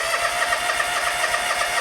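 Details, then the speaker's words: John Deere X300 series twin-cylinder lawn tractor, compression present, tried with choke on, off and half throttle: starter churns the engine at a steady rhythm but it never fires; crank no start, no spark suspected. "Choke off. Try without choke. Maybe half throttle. CHOKE AGAIN. OKAY. ALL RIGHT. DOES NOT START."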